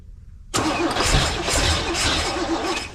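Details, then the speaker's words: Abandoned 1971 Chevy K-20 after 15 years sitting, exhaust fitted: labored, uneven cranking that keeps trying to catch but never settles; ignition timing suspected too far advanced. "all right uh let me back the timing off a little bit no I you need to back it off a little bit I think it's I think it's pretty far advanced"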